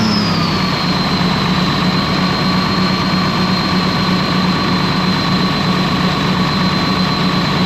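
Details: Ex-US Army Cat D6R bulldozer diesel, 822 hours, valve cover loose, injectors dropped: held at steady high revs with an uneven throb and an early whine; running rough, cylinder cut-out test shows number 6 not reacting.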